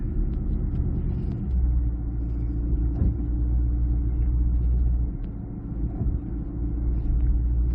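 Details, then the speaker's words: 2014 Chevy SS, rear Brembo brakes after installing the GM shim kit and new copper paste: only steady road and engine rumble while driving at speed, with no squeal or ring. The brakes are now quiet. "Let's pick up some speed. Now, I'm not hearing anything, guys, so I think we're"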